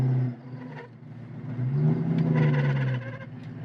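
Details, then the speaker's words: Clutch making noise on engagement: low whirring drone swells as the clutch takes up and the engine pulls; owner suspects the throw-out bearing, being replaced with a clutch upgrade kit, cause not confirmed. "this is probably the main source to why it's making that noise so we're replacing that while we're adding this"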